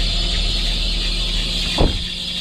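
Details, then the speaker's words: 2014 Perodua Myvi, 88,033 km, morning start with air-con switched on: a constant high-pitched squeal over the running engine, loud with the bonnet open. The accessory drive belt is slipping; belt dressing spray is used as the fix. "So kita buka aircond. Kita buka aircond eh. Buka aircond. Nampak ada bunyi geng eh. Ada bunyi."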